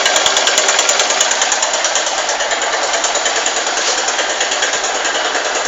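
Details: Honda Titan 150 cc motorcycle, just after start: fast light metallic tec-tec tapping, roughly three a second, over a small single idle; source unknown.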